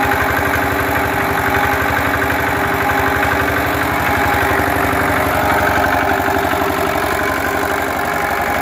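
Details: Lister diesel engine just bolted onto a concrete mixer frame, started and running; even, steady chugging about four beats per second with no misses or knocks; healthy idle.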